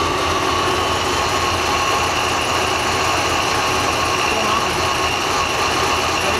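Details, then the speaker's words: Black C6 Z06 V8, idling while coils are unplugged one by one: loud lumpy uneven idle; cylinder three misfire, unplugging its coil changes nothing; injectors to be swapped to check. "the other ones obviously once you unplug them you can hear kind of the engine shut er down you can hear misfire and you"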